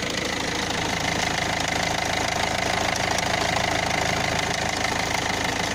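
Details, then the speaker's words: Citroën C5 1.6 HDI 110 diesel at idle: sharp, even ticking about three per second, located around the injectors; injector seals already changed with no effect, owner suspects the timing chain and has ordered parts. "alors le bruit se situe au niveau des injecteurs"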